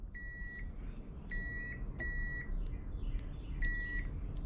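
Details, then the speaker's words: Jeep XJ 350 V8 swap, fuel pump diagnosis with a multimeter: about four clear, steady half-second beeps of continuity tone to the frame confirm a good ground. There is no tone through the pump wiring, so the pump motor windings are bad and the pump is being replaced. "Now if I leave it on the ground and I come down here and I check the frame, we get a tone, which means I've got a ground through the system."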